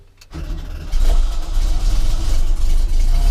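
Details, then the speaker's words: VW campervan air-cooled engine's first start after engine and gearbox rebuild, primed for oil pressure: brief crank, then a steady, even chug with no knocks; smoke later appeared at the back during the bedding-in run. "it's running I drove it out the garage"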